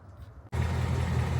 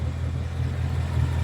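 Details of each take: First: 2022 Mustang GT Coyote V8 restarted after adding Liqui Moly Ceratec at an oil change. It settles into a deep, steady idle with the "barbecue tick" gone, running clean. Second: 2022 Mustang GT Coyote V8 at idle, just after an oil change and before adding Liqui Moly Ceratec. A faint, quick top-end tick (the "barbecue tick") rides over the steady rumble.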